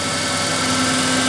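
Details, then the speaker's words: 1988 Ford Ranger 2.9L V6 after manifold pressure sensor replacement and new idle air control valve, warming up: steady even idle, no shake or stumble, exhaust quieter, running smooth; normal idle. "like I said not so noisy and that engine's running smooth as a baby's bottom"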